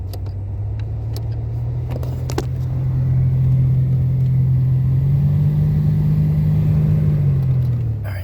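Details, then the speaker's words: Toyota Camry in for an oil change, blower motor noisy when switched on: steady low hum swells as the fan starts over quiet idle; blower motor bad or debris inside suspected, further inspection needed. "so your blower motor shouldn't be noisy either blower motor's bad or there's debris in there I'm not sure sure what it is but further inspections requir so we'll bring that to their attention"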